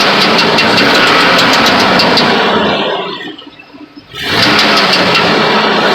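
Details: 2000 GMC Sierra running engine with a light, fast, even tick in steady rhythm, heard near the bellhousing; source unconfirmed.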